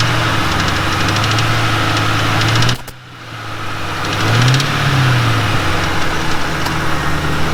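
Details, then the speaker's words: 2006 Mustang GT: rough rumble with fast tapping about four per second rising with revs; top-end tick unchanged after new timing chains, guides, tensioners, cam followers and Melling high-volume oil pump; cause unknown. "now can any of you Ford Mustang guys out there or Ford guys tell me give me some kind of idea of what this noise is"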